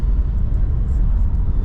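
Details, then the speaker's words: 2002 Audi A4 Quattro 1.8T, warm and under way after cam chain tensioner/slide replacement: a deep, even rumble with no knocks, whines or rattles, pulling smoothly with about 5 psi boost. The engine sounds healthy after the repair. "Okay, now we're doing good. It's driving just fine. Seems like everything's working."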